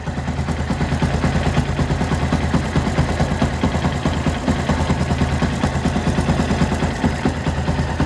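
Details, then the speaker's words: Yamaha Byson idling about 500 km after an engine rebuild, with oil being lost: steady light tek-tek tick plus a slight rattle; the air filter is sometimes loose, and the owner suspects oil, the cam chain, its tensioner or poor adjustment. "ada suara tek tek tek terus ada suara agak gemericik itu ya filter udaranya juga kadang longgar"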